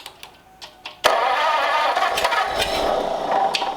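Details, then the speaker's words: Engine catches after cranking, then runs ragged and uneven while smoking heavily; two plug wires were found off, and the owner suspects poor spark on some cylinders from a bad distributor cap; misfire unconfirmed. "Making lots of smoke. I don't know if I'm getting sparkle on all cylinders. The distributor cap is really crappy."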